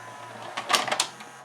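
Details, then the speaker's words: 1992 Admiral (Sharp-made) VCR after loading belts and pulleys de-glazed with acetone: low motor hum and quick mechanical clicks as a cassette loads normally despite a finger dragging the shaft, motor bogging. "perfectly you can even hear it bogging down so how much more did we gain by cleaning that belt"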